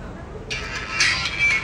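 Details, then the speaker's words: Samsung A10s phone ringtone sounds thin, harsh and hoarse after charging board connector was replaced with non-original part elsewhere; original board oxidized; distorted loudspeaker. "ó ó ó tá vendo ó ó o áudio dele está rouco"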